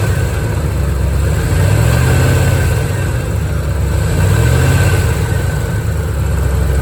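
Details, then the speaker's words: 1987 C4 Corvette that had been overheating, idling with a rough grinding growl that swells every few seconds: a failed water pump, heard before replacement. "This is what a bad water pump sounds like. I'm going to start it up real quick."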